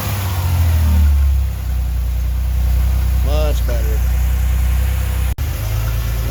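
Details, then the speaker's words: 1989 Chevrolet Celebrity base model, 205,000 miles: deep idle sags and recovers instead of holding even, surging and almost dying; vacuum leaks cause the hunting idle, IAC valve to be swapped. "But it's going up and down, up and down. Then it goes too low and it surges and almost dies and then it catches itself."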